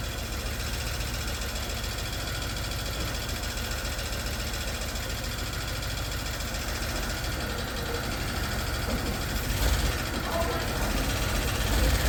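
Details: 1991 Dodge Grand Caravan 3.3 V6, first start in 20+ years, a part flew off causing a vacuum leak: a lumpy, stumbling idle with dropped pulses, missing hard, with the spark plug wire firing order possibly wrong.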